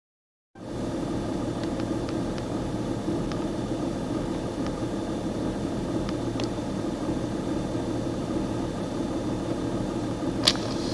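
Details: 2001 BMW E46 330d M57 diesel at operating temperature idling with dense clatter and an uneven, wavering beat, car slightly shaking; no fault codes, new fuel, air and breather filters fitted; cause unconfirmed.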